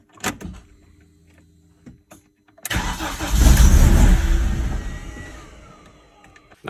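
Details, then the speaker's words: BMW E46 Compact N42/N46 after retiming; crank no start with codes P27C1, P2781, P2782 caused by skipped timing from an under-torqued crank bolt: brief crank, clean catch, rev-up, smooth idle. Normal start. "got compression so it's a lot better the car idle smooth it drives okay and I think it sold the issue"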